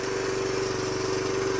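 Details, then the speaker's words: 2007 Honda CT110, just started after sitting for three years on old fuel with the choke on; a fast, loose metallic chatter over the idle from a slack timing chain, which rattles more when leaned over. "You can the timing chain sounds really loose in there. Lean it over. You can actually hear it rattling."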